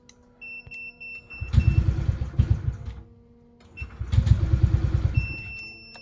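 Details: Honda PCX 160 scooter, already warmed up, at the starter: starter churns about two seconds without firing, pauses, then cranks again; hard starting, then it suddenly starts. Battery indicator lights when starting after sitting cold a day.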